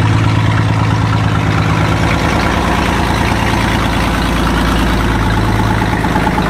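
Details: 1961 Ford Falcon idling before exhaust repair: the muffler has rusted off and the exhaust manifold is barely hanging onto the cylinder head; loud, raw, blatting idle with leaky puffing; exhaust leak with a missing muffler.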